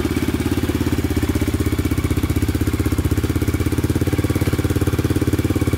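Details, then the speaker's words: 2002 Yamaha Raptor 660 quad after timing chain and valve replacement, first start after a stronger charger: steady single-cylinder idle thump, about 87 beats a minute, with no knocks or ticks; burning oil on the pipe, small oil leak noted. "but uh yeah i'm pretty happy that i started up i was getting a little worried there i was getting a little worried it wasn't gonna start because of that thing um just need to be charged so sounding pretty good"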